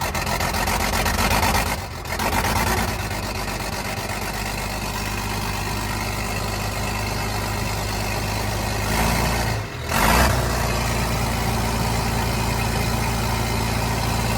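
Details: 29-year-old TimberJack 450-C skidder diesel, just started on ether after sitting 8 years: heavy, steady idle with two brief dips that recover cleanly; it runs well, and it later showed zero blow-by.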